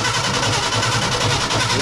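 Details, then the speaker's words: 1968 Ford F100 Ranger V8, abandoned for years, first run on fresh fuel and old battery: rough uneven running with stumbling beat and dropouts, skipping; suspected points and wrong condenser. "It's still skipping though."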